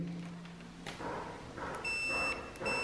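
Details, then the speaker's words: Bench test of an isolated 5V supply fed from 12V to stop Bluetooth module noise: multimeter set to continuity scale to check input ground is isolated from output ground; two short high-pitched continuity beeps from the meter. "vamos a poner en la escala de continuidad para así medir"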